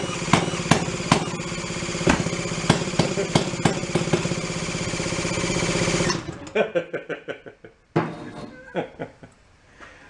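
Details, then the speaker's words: 1937 Sears Waterwitch 2.5 hp outboard, 83 years old and stored decades in a shed, at first revival attempt: fast uneven popping bursts over a rough running beat, then it stumbles and dies; owner thinks timing is too early; popping while running. "uh i'm gonna give her a little bit more and i'm gonna keep bumping that it sounds like it's a little too early like too poppy"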